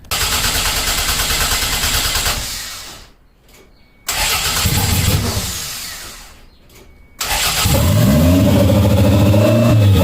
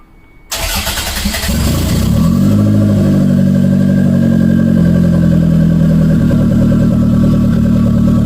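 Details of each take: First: 1992 Toyota MR2 after adjusting throttle cable: two cranking bursts, fires, revs climb and hang high; throttle plate not fully closing, idle fine when throttle pushed fully closed. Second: Engine start after axle install and cable adjustment: the engine catches quickly, revs smoothly and holds an even, steady note with no misses or knocks. Normal revving.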